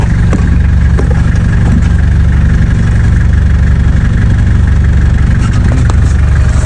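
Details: Nissan Terrano 4x4 under restoration, after a gearbox adjustment, checked before a road test: loud, steady, even idle with a constant low rumble and no knocking or rattling; the engine sounds healthy.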